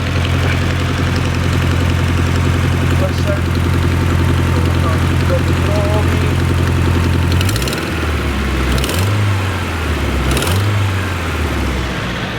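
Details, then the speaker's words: Nissan S14 SR20, started up: steady idle with fast, sharp ticking about four times a second, a typical SR exhaust blow from the previously welded manifold (possibly cracked again) or turbo; all to be removed to check. "that is a typical SR exhaust blow. They're coming for it, so yeah, we'll let the customer know and then hopefully take it apart and fix it for him."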